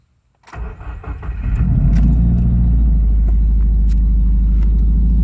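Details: 2017 Subaru WRX, Cobb AP codes P0303, cold start after replacing cylinder 1 and 3 plugs: cranks, catches, low lumpy pulse about four per second; cylinder 3 misfire, owner suspects internal issue due to oil on plug, unconfirmed.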